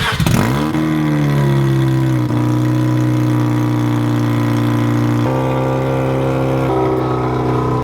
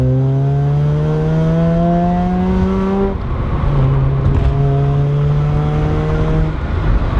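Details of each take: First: Mazda RX-7 rotary idling and revving with a slight exhaust leak: steady low drone with a rough, raspy edge, worst at idle. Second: Mazda RX-7 naturally aspirated rotary, exhaust after a cheap exhaust leak fix: raspy note pulling cleanly, pitch climbing, dropping at a shift near three seconds, then climbing again; normal, healthy exhaust.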